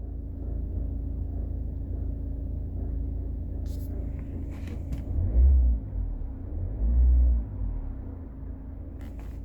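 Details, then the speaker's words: Citroën Picasso engine running with a deep rumble and a low, uneven rhythmic thumping judder with some heavier knocks, described as a scary juddering sound. "T'entends comment ça broute? Tung, tung, tung, tung. C'est flippant ce bruit."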